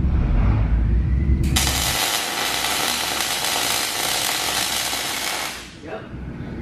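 Arc strikes into a steady, even frying crackle for about four seconds and stops cleanly, the sound of a good bead at proper speed.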